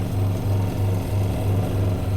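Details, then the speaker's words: Twin-tub washing machine spin-dryer after repair, now turning both left and right: steady low motor hum with a gentle, even pulse as the tub turns, no scraping or knocking; the spin motor runs normally again. "Oke, sekarang normal ya. Udah nyala kan ya? Udah normal lagi. Baik putar ke kanan atau ke kiri dia udah normal."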